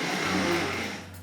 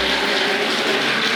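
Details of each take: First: Tri-ang Hornby R.754 M7 class tank locomotive, later version with an extra pickup, on a rolling road: a steady, even low purr with a faint high squeak. The motor runs smoothly. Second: Tri-ang Hornby R.754 M7 tank locomotive (c.1967-70) running: busy, buzzy rattle with a fast chatter over the small motor's whir; motor chatter, armature previously modified to limit movement, cause not confirmed.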